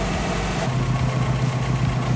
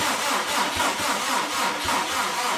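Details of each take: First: Subaru with freshly rebuilt engine on EJ207 block, first start: deep, steady low burble at an even idle with no knocks, ticks or hunting; oil pressure and coolant temp registering; normal idle, running great. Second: Subaru Impreza with freshly rebuilt engine on EJ207 block, cranking to build oil pressure after extra charging and a jumper: labored, dragging crank with slow uneven compression beats that sag and fade out; battery dying.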